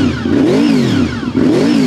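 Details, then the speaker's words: Honda VFR V4 motorcycle, nearly run-in, with gear-driven (cascade) timing instead of chain or belt: engine blipped twice, thin gear whine rising and falling with revs, like a supercharger or transmission; normal cam-gear sound. "Ouais, ça fait un bruit d'engrenage. Ouais, bah ça c'est par rapport à la cascade de pignons."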